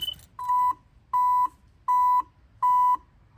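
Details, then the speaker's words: 1987 Chevrolet Monte Carlo electrical fault: with hazard flashers on, warning buzzer beeps steadily about every three-quarters second with key off; stops when key turned forward; brake pedal also triggers buzzer and dash lights. Warning buzzer sounding with hazards on. "mash the brakes the buzzer come on without the braks it stops now funny thing about that when I turn my flashes on listen"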